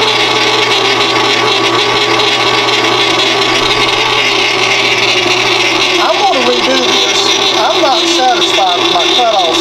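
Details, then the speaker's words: Loud, constant screech over a steady drone while parting off brass on a lathe; chatter from the parting blade flexing; a thicker blade set right against the quick-change post should reduce it. "I want a thicker blade and I'm going to we machine Any want to get the blade right up against the Quick Change post that'll take some of that noise out of it"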